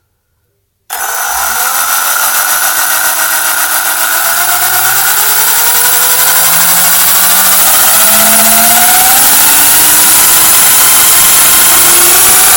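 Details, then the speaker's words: HPI Vorza RC buggy after front diff rebuild (diff case broke in a crash) and new tower: whirring whine climbing in pitch as it accelerates, louder than before; drivetrain whir, cause unknown. "Everything else looks good, but it just doesn't sound right. I don't remember it sounding like this when I'm accelerating."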